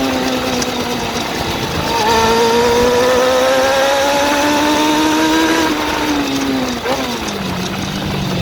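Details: Suzuki GSX-R400 (RL) motorcycle engine: light, fast top-end ticking over a buzzy engine, tracking revs as they rise and fall; owner suspects valve shims or timing chain, source unconfirmed.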